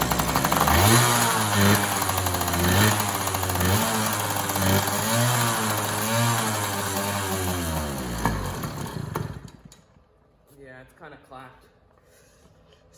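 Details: Yamaha PW80 two-stroke pit bike, new carburetor fitted (carb swapped about four times), air screw stripped: idle hunts up and down every couple of seconds, revs out of control, never settles, then dies; owner suspects an air leak, unconfirmed.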